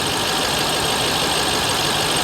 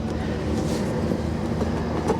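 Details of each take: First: Dodge Ram SRT-10 Viper V10, damaged salvage truck with check engine lights on, heard under the hood: steady, even idle with a smooth, deep burble and no knocks, ticks or misses. Normal idle. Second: Dodge Ram SRT-10 Viper truck at salvage auction, idling with hood open: steady low idle with light, irregular ticking and scraping on top; the electric cooling fan is catching its shroud.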